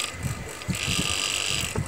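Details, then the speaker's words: Cooler mini motor, copper, 2800 rpm, at high speed: high-pitched whine with rough uneven rattle; heavy play in worn bush (sleeve bearing), also slows down while running; fix is replacing the bush. "इसमें आवाज बहुत ज्यादा आ रही है इसका मतलब इसका बुस बहुत ज्यादा खराब है बहुत ज्यादा प्ले है इसमें तो बुस नया इसमें पड़ेगा"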